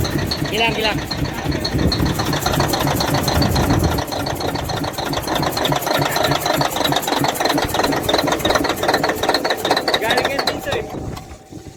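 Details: Caterpillar 988F2 diesel with hard starting and heavy black smoke, running with a hard rhythmic knock: the cylinder 5 injector hold-down bolt was broken, letting the injector pop up, damaging its seals and leaking fuel; this was then fixed and tested.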